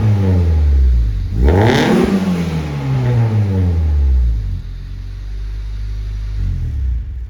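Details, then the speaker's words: Turbo Honda Civic with Hunter Tuned 1000cc injectors, Bullboost intake manifold, aftermarket throttle body, anti-lag basemap, 93 octane and Tanabe Medallion catback. One smooth rev with a soft turbo whoosh over a very quiet exhaust. Normal revving. "Now the exhaust is a little too quiet for me. Here's a little sound clip of what it sounds like with the exhaust in the turbo."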